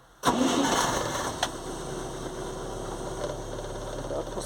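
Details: Żuk old 1-ton truck, cold start, battery tie-down just added: brief crank then catches almost at once and settles into steady even idle; healthy easy cold start, though charging voltage reads 15 V, still overcharging.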